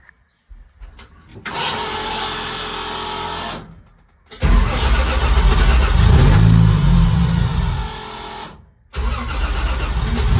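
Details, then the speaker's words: MegaSquirt-managed engine after injector cleaning and alternator work, not yet fully warm: cranks, catches, revs briefly and settles to a steady even idle with no misses; runs smoothly. "sounds pretty smooth we'll give it a few minutes reach a little bit more temperature and then uh kind of assess from there"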